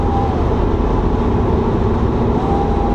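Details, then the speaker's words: 2007 BMW E92 335i N54 in sixth gear rolling on into boost from about 65 mph, check engine light for O2 sensors and low boost: a faint steady whirring whine; owner suspects rear turbo shaft play, unconfirmed. "I don't know if you guys can hear this or not but I'm in sixth gear right now I'm just going to roll on it can you all hear that whirring noise"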